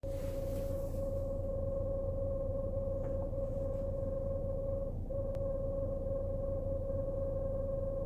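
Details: BMW Z4 E89: steady, constant mid-pitch hum over low rumble from the rear, unchanged through the run; owner unable to identify the noise; rear humming noise.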